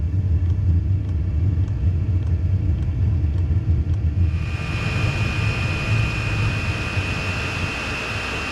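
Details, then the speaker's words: Diesel heater dual-fuel setup starting on clean diesel: steady low rumble with light ticking, then after about four seconds the rumble drops leaving fan hiss; flame went out during startup, starts hard and sounds bad, cause unknown. "it went out in an upcoming video we are going to find out why it starts so hard and also why it sounds so bad"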